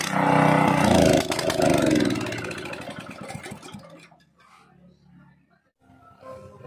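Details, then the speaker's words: Small petrol gasoline water pump engine unused for a long time, before repair: runs ragged and surging, then fades and dies within about four seconds as if starved of fuel; very dirty carburetor to be cleaned. "mga sir ay pinaandar ko na yung makina tapos yung andar niya is palyado parang kinakapos sa gasolina hanggang sa mamatay na"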